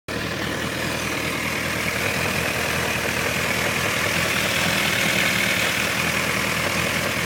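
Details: Honda CBF 1000 F at idle, recorded from several sides: light, fairly regular tapping about three knocks a second over the engine note; engine knock, source unclear.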